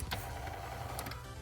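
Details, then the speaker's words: Mercedes G500 W463 steering column tilt motor running during steering wheel up/down adjustment repair: brief even electric whir with low hum and light clicks; motor working normally, coupling spinning. "this is the motor that can be the main cause if the motor dies then the steering wheel won't go up and down in my case the motor is working hearing something spinning"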